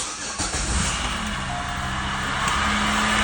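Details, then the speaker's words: 2006 Chevy Malibu LT Maxx 3.5L V6 idling: steady whirr with faint high squeal over the idle; worn water pump bearing (not power steering, which is electric), fixed by replacing the water pump, pulleys, tensioner and belt. "It comes down a little bit, but believe it's got to be the water pump."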